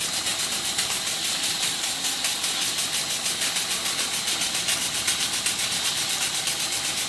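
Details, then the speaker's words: Circa-1896 model steam engine on live steam from a boiler, steam valve only slightly open, running once water clears from the cylinder; fast, even hissing chuffs two to three per second, steam leaking at the dummy piston rod gland; normal running. "And as soon as the water clears from the cylinder, it starts to run, and it runs very well."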